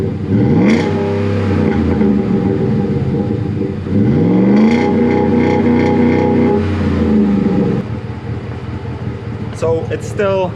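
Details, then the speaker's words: 2012 Ford F-150 5.0 Coyote V8 with newly fitted Flowmaster muffler replacing a rusted universal one: deep steady burble climbing through a few revs and settling, no rasp or rattle; loud but normal exhaust note. "kind of loud but it's i think it's better than what that was because this uh flowmaster muffler is a little bit bigger and it actually muscles the sound"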